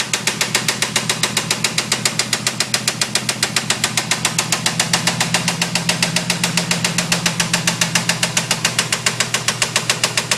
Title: 1992 Formula 350 Rod Knock?